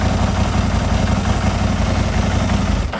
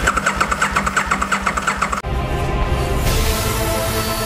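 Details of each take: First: Gen 1 Aprilia RSV Mille V-twin that stood about 10 years, running after a faulty block connector was fixed: loud, lumpy twin beat fires cleanly and keeps running, then dies away; starts and runs normally. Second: Aprilia RSV Mille Gen 1 in a no-start diagnosis: even starter cranking at about eight beats a second with no firing, the fuel pump connector unplugged so there is no fuel, while the injector test light checks for flashes.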